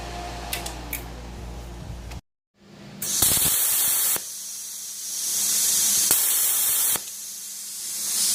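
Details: Plasma cutter after replacing/repairing faulty 24 V relay for no pilot arc: clean bursts of steady air hiss cutting in and out evenly; air flow normal.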